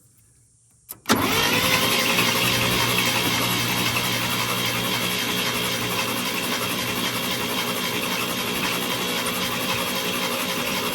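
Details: 1962 International C-100 IH six-cylinder, starter with oil dropped into its front and rear oil cups: the starter spins steadily and now runs quieter, with no whine or scrape. Normal cranking.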